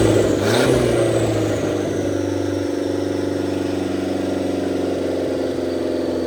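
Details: 1927 Ford Roadster 2.3L turbo four idling after fuel-line repair on 91-octane fuel: steady, even idle with smooth low hum, settles quickly, no misses or knocks; runs clean, no leaks, not yet tuned.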